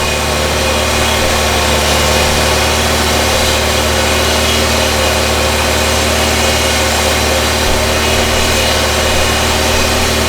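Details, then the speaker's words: 1994 Toyota Celica, non-computer-controlled charging system, idle with AC off and blower on low, intermittent battery light: thin high singing whine drifting in and out, from the noisy alternator. "You don't hear that pitch, that whine that's coming and going? That's the alternator. You hear that whine, Jake? That's your alternator singing."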